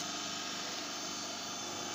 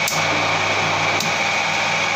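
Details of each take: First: 15 kW rotary phase converter motor, cooling fan removed for quietness, idle supply current under 2 A, stays cool after hours: steady even hum with smooth high whir, no knocks or rubbing; normal running. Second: 15 kW, 30 A, 380 V delta induction motor used as rotary phase converter in star on single phase, driving lathe with power factor correction switched off: steady electrical drone with coarse growl; motor growl without power factor correction.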